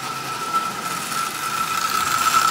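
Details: Marx prewar single-reduction toy train motor from a badly rusted Canadian Pacific, on its last run before dismantling: a rough, rattly buzz over a steady high whine, like a lawnmower. The worn armature shaft bearing lets it slop on the brush plate.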